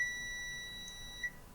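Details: A steady high beep for just over a second on one display-connector pin of an oven-reflowed Lenovo ThinkPad X201 motherboard with no backlight power shows continuity where expected.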